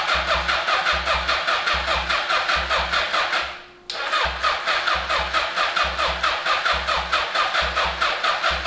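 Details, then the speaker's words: 1981 Honda CB750 brought back from non-running, cranked via a jumper to the starter solenoid: steady, even starter chugging with no skips; good compression on each cylinder; normal cranking. "nice got good suction out of each one of the cylinders"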